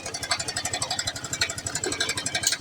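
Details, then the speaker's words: TVS Star City Plus single-cylinder motorcycle at idle: fast, even metallic ticking and loose tinny chatter from the top end; timing chain rattle. "दोस्तों आप मेरा पास है एक TVS star city plus इसका engine sound problem है देखिए [संगीत] कितना साउंड है इसका टाइमिंग"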